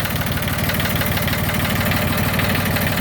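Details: Yanmar YM1610 diesel tractor (1979-1981, 942 hours), first start after about 10 years sitting: even, steady diesel chug of about three beats a second with no misses or knocks, a healthy smooth idle.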